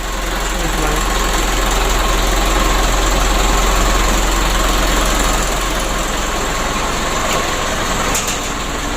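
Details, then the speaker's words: Mitsubishi 120 PS Ragasa diesel, after injection pump repair, nozzle replacement and oil change for engine oil diluted with diesel fuel: smooth, regular clatter about 3.5 beats per second, no knocks or misses; normal idle. "kali ini kita perbaikan pada injeksi pump nya lalu novelnya dan penggantian oli ini sudah kita lakukan ini sudah hidup dan untuk mobil ini sudah siap tempur lagi"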